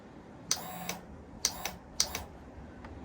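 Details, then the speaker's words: Suzuki motorcycle with a rusty fuel system, possibly water in the fuel: three or four sharp single clicks about a second apart with no cranking. Starter relay clicks but the engine won't turn; cause not confirmed. "Looks like it's only clicking. The starter relay is clicking, but it's not spinning."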